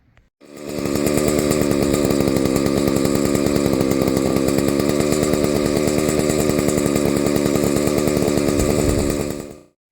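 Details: Husqvarna 285 two-stroke chainsaw, previously starting then idling and stalling, after a seal replacement: fires and holds a steady, even high-pitched buzz with no misses or surging; running normally.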